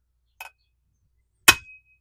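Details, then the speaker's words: 1969 Honda CB350 cylinder head, valves tapped with a hammer to check for seizure: two sharp metallic taps, each with a clear short ring rather than a solid thud, valve visibly moving; free, not seized. "That one's good. They're all good. Now, if they were seized, you wouldn't quite hear that ping, and you wouldn't really feel it in the handle as it goes down."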